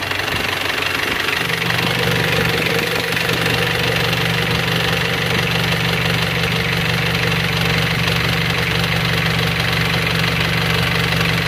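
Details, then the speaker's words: Panther 23 diesel from Malang, just started after rebuild with one scored liner replaced by a used original, plus a full set of pistons and rings. It catches after a second into a steady, even idle with light clatter, no smoke. Normal diesel idle. "Jadi sementara mobil ini sudah hidup, baru saja hidup, dan hasilnya sudah bagus."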